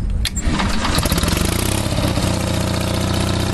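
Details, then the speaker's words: Onan 5.0 CCK-4R 5 kW three-phase dual-fuel generator, low hours, warm day: starter catches and engine fires almost at once, settling to steady even low rumble, no misses; clean healthy start. "It's a warm day. This thing fires right up."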